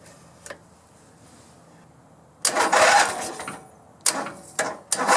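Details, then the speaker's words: Grasshopper zero-turn mower, 16 hp V-twin Vanguard engine, after cleaning the gas tank: short cranking bursts catch briefly then die. Fuel pump not yet pulling fuel; starting fluid to be tried next. "Hey, hey, she's trying. Come on, baby. Gotta get that fuel pump pulling."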